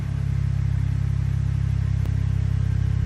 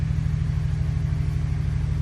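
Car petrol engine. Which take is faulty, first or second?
second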